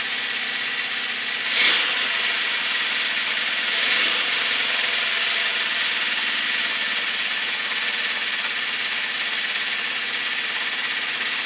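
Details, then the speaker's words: Honda CB650 Custom four-cylinder at idle after warm-up: light fast metallic ticking about three per second over the engine, slight backfire; owner suspects valves on cylinders 3 and 4, maybe clutch or cam chain, unconfirmed. "Second, the ticking noise, I think, is coming from the clutch or from the cam chain area somewhere, and also on cylinder number 4, which is on the other side of the bike. I think I can hear the valves ticking."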